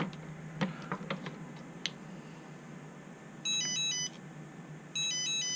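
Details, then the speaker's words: Turnigy Evolution radio transmitter alarm buzzer after opening 2–3 mm of clearance behind it to make it louder, since the stock alarm is too quiet; two short shrill warbling beeps about 1.5 s apart. Owner finds it slightly louder now. "Yeah, it actually is a little bit louder now. At least I'm noticing."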